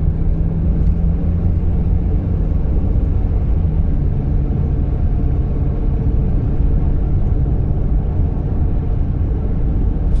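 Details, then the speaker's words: 2014 Hyundai Santa Fe 2.2 diesel, about 245,000 km, test drive after replacing a noisy rear wheel bearing: a low, smooth road rumble at steady speed with no growl; much quieter than before. "see if it's any better I'm picking it will be about 45 minutes yeah that's a whole lot quieter than it was"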